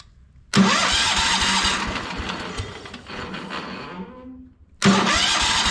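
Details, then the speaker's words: Kohler 14 HP engine on a Minneapolis Moline 114 Hydro garden tractor, cover removed, catches after short crank and runs with rough loose knocking from the top end, confirming it isn't the cover hitting; engine likely worn, teardown planned. "so that confirms you can hear it kind of knocking up here in the top end so just wanted to make sure that it wasn't something hitting that cover"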